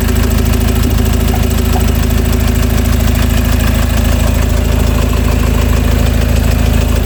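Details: 2015 Peugeot Boxer diesel after DIY oil, oil filter and fuel filter replacement, started with the jack still in place: even, steady clatter at about three beats a second with no misses or odd knocks; a healthy, settled idle.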